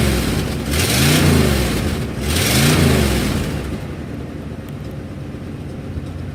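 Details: 1997 Ford F250 with 7.5L 460 V8: two quick revs, faint ratchety tick climbing with rpm then settling, from an exhaust leak.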